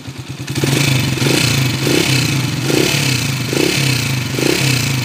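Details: Honda TMX155 motorcycle, restored and converted to CDI, before overhaul; noisy clattering timing gear, rough when revved, worn camshaft and valve tips; valvetrain ticking.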